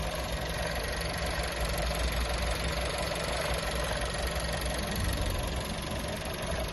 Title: VW Touran 1.4 TSI DSG, Bj. 2018, Motorgeräusch